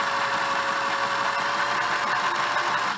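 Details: Singer Model 628 Touch & Sew after a bobbin case fix; its positioner arm can rise at speed and let the bobbin case jam, but it is serviceable. Fast, steady, even whirring clatter with no catches or knocks, then a clean run-down: running smoothly.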